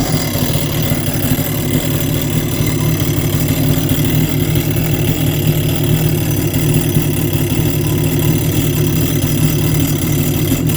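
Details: Seadoo XP 951 watercraft at idle: a loud, rough, steady low drone from the jet pump area.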